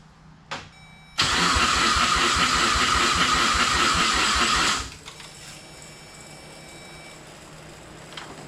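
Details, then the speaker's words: RWD Ford Fusion with swapped 2016 Mustang EcoBoost drivetrain: no crank through the relay, so it is bypassed; loud, fast cranking for about four seconds, then a faint, uneven idle as it barely starts; fans come on and fuel smell. "fans came on so that's weird it kind of started"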